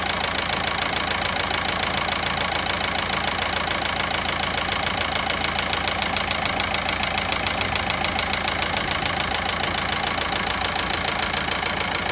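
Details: VW Passat 1.9 engine at idle with a sharp, very even ticking about three and a half times a second; a clear knock, cause not identified.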